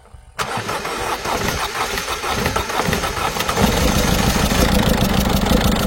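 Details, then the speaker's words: Peugeot 207 HDi 16V diesel, 545,000 km, restarting after fuel purge: catches and settles into an uneven, lumpy idle with a loose irregular beat, struggling to run properly; mechanic suspects an injector seal noise, unconfirmed. "Je crois que j'ai l'impression qu'il y a un bruit de joint d'injecteur. Voilà, donc en fait il a beaucoup de mal à tourner correctement."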